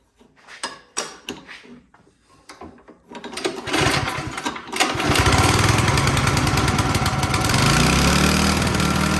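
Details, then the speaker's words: Toro Power Clear single-stage snowblower that would not start, after cleaning the carburetor: a few pull-start tugs, then it catches and settles into a steady, even, healthy run. "Man, that carburetor was not looking good. I was like, man, we're gonna have to replace that. I'm surprised that it cleaned up."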